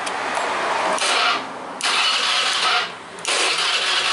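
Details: Honda Vario 110 carburetor scooter, after an ignition coil replacement, stalled on the road: three one-second bursts of electric starter cranking without catching; battery 13 V, dropping to 11 V while cranking, judged normal.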